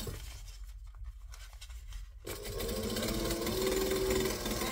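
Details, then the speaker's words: Mitsubishi LS2-130 sewing machine stitching a tote bag with size 18 needle and bonded nylon thread; quick steady stitching rattle with a thin squeak, which the owner says appears after a while and wants WD40 for. Squeak while stitching. "I also need to get WD40 here the squeak it just does that after a while I think it's going to annoy me and I think I'm going to stop very soon and go and get"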